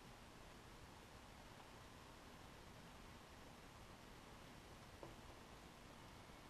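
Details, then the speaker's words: Lenovo IdeaPad Y510p laptop (i7-4700MQ, 2x GT 750M SLI) on a desk during game play, graphics fully loaded, temperatures mid to low 70s; soft, even airy fan rush with no whine, rattle or pulsing, normal fan noise under load. "temperatures with the graphics fully loaded everything like that are in the mid to low 70s so match begins in three two one here we go I'll stay quiet for a minute so y'all can hear the fans"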